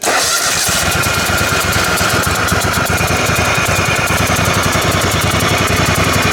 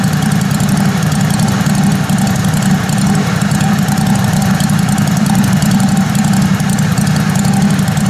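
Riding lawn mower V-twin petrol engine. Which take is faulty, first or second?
first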